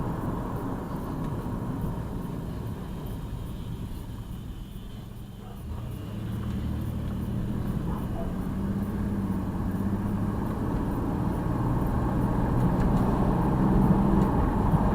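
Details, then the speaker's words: 2002 Jeep Liberty with swapped 3.7 engine on night road test, no check engine light, temperature normal: steady low engine hum under road and tyre noise, rising slightly with speed, no knocks or misses; running smooth. "She runs smooth, real smooth. Temperature staying normal."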